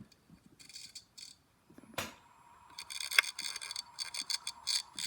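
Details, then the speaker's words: Hard drive from a Lenovo computer, dead: sharp irregular clicks and rattly bursts instead of a smooth spin; suspected to be rubbing on the platter. "yeah this one came from a Lenovo computer but it's dead making terrible sounds probably rubbing on the bladder"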